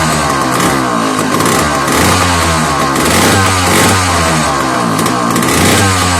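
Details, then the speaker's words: $5 McCulloch 1-52 chainsaw, freed up with strong compression, bar on and clamped in vise: loud raspy two-stroke at steady high speed after a hard start, heavy smoke filling the garage. "So we got it pretty well smoked out in here, but we also got stuff now falling off the bench onto the floor."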